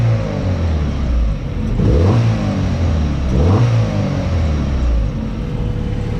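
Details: Car just fitted with a cheap eBay oil catch can, run after startup: smooth idle with two clean throttle blips rising and falling evenly, no knocks or misses; slight steam and smoke deemed normal; engine sounds healthy.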